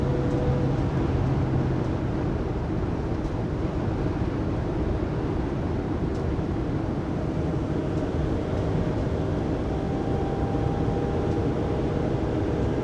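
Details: 2020 Pleasure Way Plateau FL (2019 Sprinter 3500XD), recorded by phone at 80–90 km/h after drive shaft and differential replacement: thin steady whine above road rumble holding pitch; driveline whine, cause unknown.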